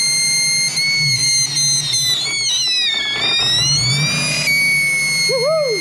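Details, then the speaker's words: Supercharged (M90) 1UZ V8 in Toyota Prado after new wiring loom, idling with a steady high whistle whose pitch shifts when sprayed; vacuum leak found at the intake manifold, not the supercharger. "oh c'est bon pas super chargeur c'est tout le collecteur c'est facile c'est chanceux"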